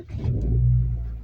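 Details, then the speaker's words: Car cold start at -4°C outside, engine temperature -2°C, after headlights were on 5-10 seconds to warm the battery: a brief crank, then it catches cleanly and settles into a smooth low rumble. "Mana do'stlar, mashina o't oldi. -4. Dvigatelimiz -2 ko'rsatyapti. Ko'chaning harorati -4."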